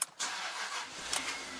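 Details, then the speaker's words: 3.2-litre V8 Jaguar that had a flat battery, started with a small jump pack: brief starter burst, engine catches instantly and settles into an even, healthy idle. "that started so right so I had a flat battery yesterday and that little pack started a car instantly that's amazing"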